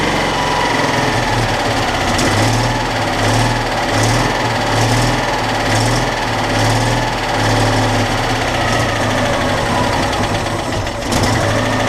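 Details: Citroën Dyane 6 that would no longer hold idle and backfired, after the carburettor jet was cleaned and blown out: idle surges and dips in a loose rhythm about every second, never settling; rough, hunting idle persists, dirt in the carburettor suspected.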